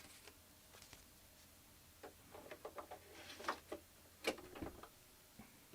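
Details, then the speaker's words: Apple II Plus with DuoDisk floppy drive booting: soft, uneven ticks and short chattering seeks about one a second in a quiet room; the drive is stepping and reading normally. "okay so this one's working all right so that booted up oh sorry here let's do this all right so the floppy drives working the duo disc is working in this"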